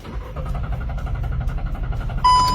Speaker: let's try again it still won't start do you know why